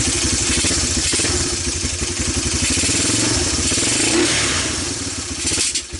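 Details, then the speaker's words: ATV that sat for years, single-cylinder, after carburetor clean, new plug and fresh gas: chugs unevenly with clattery irregular firing and surging speed; running but rough, needs tuning, cause unconfirmed. "as you can tell this thing isn't quite running right so we're gonna end this video here we got it running"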